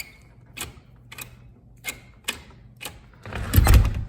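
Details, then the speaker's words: Prowell doorknob after fitting a homemade return spring, final test: crisp, separate clicks as the latch snaps out and springs back to neutral, clean and quick; latch works normally, though it may need a little oil after long disuse. "So, that latch pops out and then it closes and it Now that the return spring is in there, it it goes back to its neutral position."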